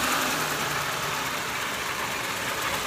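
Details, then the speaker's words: Engine running with a thin, uneven metallic tinging over a hissy idle, heard from below, more noticeable in drive than neutral; harmonic balancer outer pulley ring separating from its rubber insulator. "did you hear that little that little noise right there okay that is separation see the separation but and the balancer from the pulleys to the rubber insulator"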